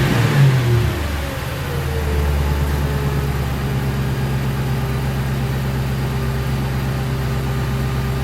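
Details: 2006 Crown Victoria P-71 V8, stock mufflers internally bored out with the Helmholtz resonator defeated, unloaded: a throttle blip, then an even, smooth idle burble, a touch throatier and louder than stock. Normal exhaust note.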